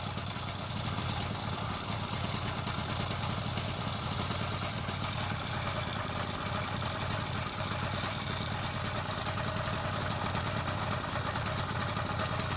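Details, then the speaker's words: Motorized bicycle with a two-stroke engine, engine running: raspy steady revs with a loose slapping rattle as the chain wobbles badly; after two days of diagnosis, with sprocket alignment and pinion OK, the stock chain had bad links. "Spending 2 days trying to diagnose and find out why this chain wobbling so crazy and it's so noisy. And finally I just found out."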